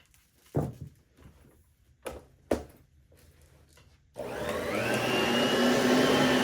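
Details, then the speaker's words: Oreck XL21 upright vacuum after replacing a busted fan chamber and fitting a new belt: a few handling thumps, then the motor spins up to a smooth, steady whir with no rattle or scrape. Normal running. "The belt, new belt I put on, it's perfectly fine, so I'm just gonna turn it on just for a few seconds, just for the video. Works perfectly."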